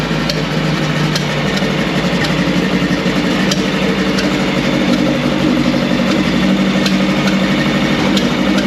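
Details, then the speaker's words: 1959 VW Beetle convertible after a few years of sitting: steady but slightly rough idle with uneven ticking and stumbles over the exhaust beat, likely still burning old fuel from the line and carbs; needs more tuning. "Will take a little bit to run through all the old gas first because there's still fuel in the line and the carbs will be full of that old crap."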